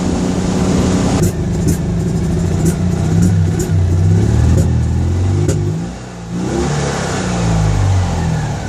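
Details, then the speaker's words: Citroën 2CV (Project Elly) on the road after revival: uneven, stumbling flat-twin beat with speed drops, misfiring; owner fears the brand new condenser and suspects the ignition coil, planning to swap coils. Not confirmed. "sincerely hope that isn't the brand new condenser I've just fitted. I'm going to try changing the coil again. I think I need a new one."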